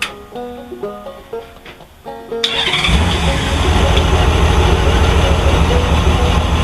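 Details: Honda Goldwing started after gas leak repair work, with the air cleaner box opened, to check for leaks: a short crank, then it catches quickly and settles into a smooth, steady low idle without stumbling. It runs normally.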